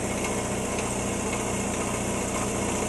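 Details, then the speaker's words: Air compressor owned over 30 years, pumping hard while building pressure (almost 40, aiming for about 60 psi): hard steady pumping drone with a faint uneven stutter about four times a second as the drive belt keeps jumping off the pulley track. "You can hear it kind of stuttering a little. Yeah, I was doing that before, jumping every once in a while. I could hear it stuttering. Working hard. See the belt jumping every once in a while? The belt's jumping off the track."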